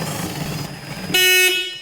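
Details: Car with a 10 A fuse that blows and a flickering dash light when the left turn signal is pushed up toward cancel: a short, loud horn blast sounds with no button pressed. A short is suspected, not confirmed.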